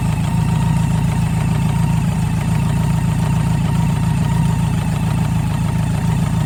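Idling four with a rough, uneven tapping mixed into the low hum, roughly three to four a second; an engine knock, cause not identified.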